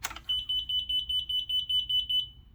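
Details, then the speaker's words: Pride Mobility scooter with Dynamic control system: quick five-beep fault code sounds when started while the freewheel lever is in neutral. "if the scooter is in neutral and moving and you try to start the scooter you're gonna get a five beep sequence so it beeps quick and then it's gonna be a five beep ready"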